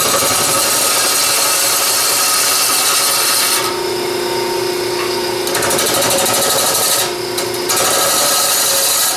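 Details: Wood lathe, gouge cutting hard, dense plywood edge grain and glue lines, heavy tool pressure needed: continuous harsh scraping hiss under motor hum, rough and uneven; tool dulling, needs sharpening.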